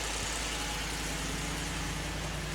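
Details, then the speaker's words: Wrecked 2015 Ford F-150 4WD with 60,000 miles and rear-end damage, started after a battery charge: smooth, even idle with a steady low drone, no rattle or tick; the engine sounds healthy. "oh yeah sounds good no rattle 60,000 mile truck"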